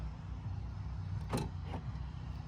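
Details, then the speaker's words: 2017 Ford F-150 power tailgate at idle: brief motor buzz and fainter click as the latch tries but fails to release; weak latch actuator, fixed by replacing it. "so here's what it sounds like and you'll hear that it doesn't it tries to operate but it won't"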